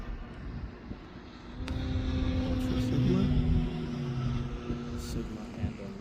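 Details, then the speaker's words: Giant RC airplane on a fast low pass with a steady motor whine and an uneven buzzing shudder, the vibration returning after an earlier landing; loose motor mount suspected, with the motor rubbing on its outer ring. "oh see there's the vibration it's back the vibration could be a loose motor mount then you know what I better land"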